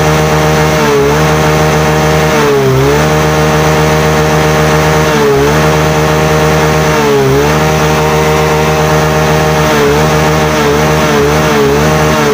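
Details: Yamaha Mio J (Fino) single-cylinder scooter that stalled and showed MIL code 46, running during charging check (12.4 V off, 13.8 V running, normal); steady with light rises and falls in revs, even firing, healthy.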